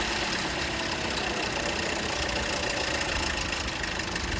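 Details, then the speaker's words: Toyota Corolla at idle and on throttle: fast, light metallic rattle over the engine note from the timing side; old timing chain tensioner stuck and jammed, letting the chain slap; tensioner replaced. "यह देखिए जी हमने engine को start किया और इसको accelerator दें तो आवाज़ आती है अंदर चोर जब गाड़ी को इंजन को स्टार्ट करते हैं तब भी आवाज़ आती है"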